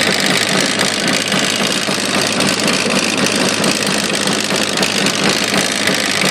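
Busy two-stroke idle with a rapid, uneven metallic knocking riding over the hiss; knock present, cause not evident.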